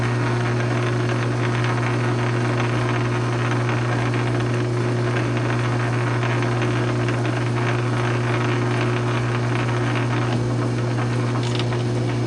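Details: South Bend 9" lathe after Model B to Model A quick-change gearbox conversion, under a slow test threading cut with a perfect resulting thread: constant low electric hum, smooth even mechanical drone, no knocks or grinding; normal gearbox operation.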